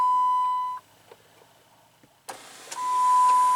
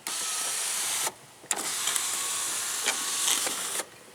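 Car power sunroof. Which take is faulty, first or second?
first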